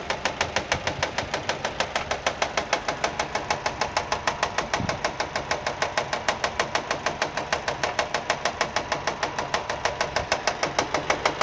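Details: Nissan engine, running: sharp, even slapping about three times a second; the engine itself is fine, the noise comes from a fraying alternator belt striking the metal body as it turns; alternator belt slap.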